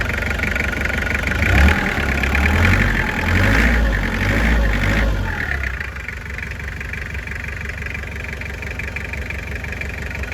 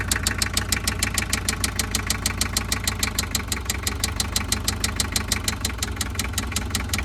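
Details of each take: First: Toyota 2L diesel van that knocked from a melted connecting-rod bearing, after replacing the rod bearing on one cylinder: quick revs settling to an even diesel clatter with no knock. Normal revving after repair. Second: Toyota Mighty-X van, 2L diesel, starts but barely holds idle, power down: heavy even knock about three per second over rough idle, louder with revs; likely a spun connecting rod bearing, cylinder 1 rod not following crank when turned by hand.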